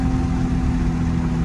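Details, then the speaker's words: Single-turbo 1JZ on a test drive under boost after fixing the wastegate/boost controller vacuum tee: deep, even drone pulling steadily with no flutter, hiss or rattle; only turbo heard, and owner unsure whether the blow-off valve works. "i don't know if the blow-off valve is working because i do not hear it i hear turbo that's all turbo right there"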